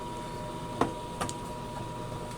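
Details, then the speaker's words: Harman Accentra pellet stove after the combustion blower was replaced and the feed box cleaned of sawdust: quiet steady blower hum with light clicks, no screeching, during start-up with feed motor and igniter running. "we never had a problem sounds good I don't hear any screeching and we'll come back in a few minutes to see if we have flamage"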